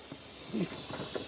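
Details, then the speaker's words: Ferrari 308 V8 (smoke-blowing engine) during leak-down test, engine off: soft steady hiss as air escapes once the cam opens the valve after the crank turned, audible at the exhaust and throttles. "what's happened is the air pressure's turned it but if you listen now that's where valve's open yeah you can hear it yeah"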